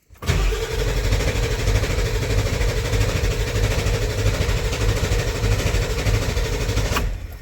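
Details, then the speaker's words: 1994.5 Ford F-350 Powerstroke diesel after fitting 160/00 injectors and new intake: long cranking before starting, then loud slightly uneven clatter and cutting out; finicky start, likely air still in fuel and oil. "Not going to lie, I was getting a little nervous at how long this thing was cranking, but uh it did eventually start."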